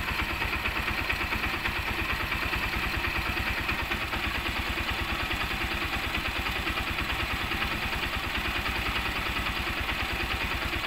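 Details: Honda CB125 single-cylinder after repair (replaced connecting rod and loose timing chain with worn roller): crisp, evenly spaced pulses at steady idle, no knocking or ticking; engine healthy.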